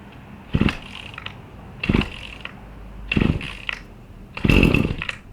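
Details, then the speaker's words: New Husqvarna 525 RX trimmer, primer bulb pumped and choke pulled to the cold-start position: four pull-start rasps about 1.3 seconds apart, the last longer with a short sputtering pop as the cold engine first fires on choke. "Okay, now we're gonna, once you hear that sound, push this down. And then you just let it warm up, and that's pretty much it."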